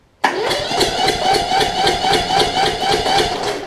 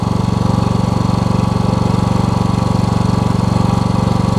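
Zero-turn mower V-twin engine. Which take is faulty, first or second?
first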